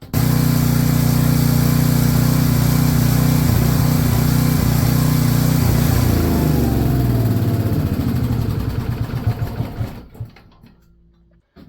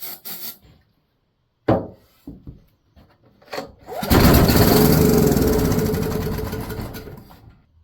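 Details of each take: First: Salvaged Hite 4400 W generator, 8 hp Briggs & Stratton, on retry after governor nearly stuck: steady even drone holding speed, then winding down smoothly; runs properly. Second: 4400 W generator with an 8 hp Briggs & Stratton engine, salvaged from the landfill, fuel tank empty, starting fluid sprayed into the intake: it fires and runs roughly about three seconds, then dies. Spark and compression are confirmed; it lacks fuel.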